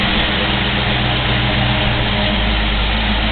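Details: Rebuilt original 5.0 V8 Fox Body Ford Mustang, manual, just cold-started, new clutch fan, EGR deleted: deep steady V8 rumble, even beat, no misses, knocks or ticks, no smoke; healthy smooth idle.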